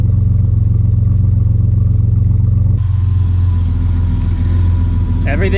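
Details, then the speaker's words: 3800 turbo Camaro with newly built full 3-inch exhaust, first start with new serpentine belt setup: steady even idle with low rumble, earlier exhaust leaks gone, possibly one slight tiny leak remaining. "Sounds much better. I'm not hearing the exhaust leaks like I did last time."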